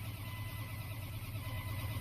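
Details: 1998 Dodge Ram 1500 crank/no start with ASD power dropping out, after crank sensor replacement: steady starter churning, low even drone, no catch or firing; cause still being diagnosed.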